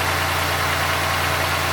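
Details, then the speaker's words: 1990 Oldsmobile Toronado Trofeo 3.8L V6, cold, after adjusting lines: smooth, even, slightly raised idle with no hunting; owner considers it normal cold idle. "it's not as bad ha definitely not as bad like actually you know what now think about it I think that's normal Idol when it's are cold"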